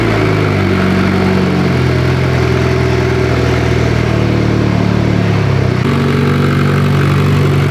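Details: Mitsubishi Evo 10 after MIVEC delete cam gear install, oil topped off, solenoid replaced by plug so a code is expected; warming up. Smooth, even engine note settling and changing with no knocks or ticks; sounds healthy.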